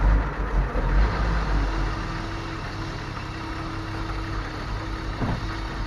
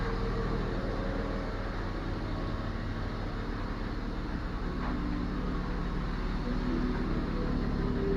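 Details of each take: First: BMW E34 with Gazelle 406 fuel pump fitted last year, losing power above 5500 rpm: loud steady droning hum over a low rumbling idle; fuel pump whine from clogged pump strainer. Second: BMW E34 after replacing a clogged, loudly humming fuel pump that had caused power loss at 5500 rpm: engine runs steady and even, with the pump now completely silent; running normally.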